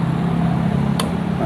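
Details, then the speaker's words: Car battery (2017 dry/maintenance-free unit, drained and refilled with water) at 13.3 V on load tester: steady low engine rumble with a short click, engine catches and runs evenly; third consecutive start without struggling, battery usable again. "Nah, sudah 3 kali starter nggak ngeback. Berarti ini akinya sudah bisa kita pakai teman-teman."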